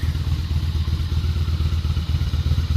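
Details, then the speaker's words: Honda Shadow Spirit VT750 with new aftermarket Chinese carburetors, first start on choke: fired right up into an even, steady low thumping idle with no misses, knocks or ticks; normal cold start idle. "Oh man, it's fire right up. Love it. Absolutely love it."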